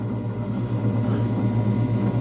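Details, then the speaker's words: Motor of a 9-inch South Bend lathe, unused for years and not bolted down, gives a steady, even hum with a low drone and faint vibration from being unmounted. It runs smoothly in forward and reverse. "you can hear a slight vibration that's because again it's not bolted down but the motor actually seems pretty smooth forward and reverse works"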